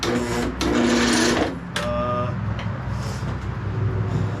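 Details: 2006 Craftsman LT3000 lawn tractor, bought not running, on a battery charger with the shroud unbolted: slow, labored, uneven cranking near four turns a second. Solenoid and key switch work. Attributed to weak battery and loose connection; owner also suspects the starter is done.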